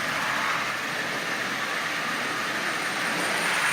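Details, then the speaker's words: Marx micro motor fitted in a Santa Fe toy train shell: steady high motor whir with a continuous dry scraping rasp, as the oversized drive wheels, much larger than the originals, rub inside the shell. "as you see it works there's no doubt about that but you can hear the wheels rubbing on the inside of that shell like I said the original wheels are much much smaller than that"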